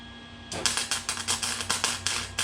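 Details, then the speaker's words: Harbor Freight Flux 125 flux-core welder laying a short bead with wire speed set too low for the steel thickness: arc sputters in uneven crackling pops instead of a steady sizzling-bacon sound. "Now, a good weld should sound like sizzling bacon on an oven. As you just heard a second ago, that sounded nothing like sizzling bacon on an oven."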